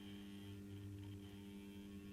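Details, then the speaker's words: Accurascale Class 30/31 model diesel locomotive on DC at slow crawl: steady low electrical buzz with evenly stacked tones; sounds unhealthy, likely a noisy fan motor rather than the drive motor. "dear sounds unhealthy but I'm trying to ignore the sound"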